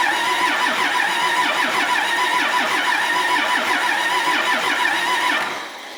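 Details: Cummins diesel from a stripped bus, sat outside nearly 3.5 years, with several injector lines cracked to bleed air: steady starter churn at about three beats a second that never catches, then winds down. Cranking, no start because of air in the fuel system.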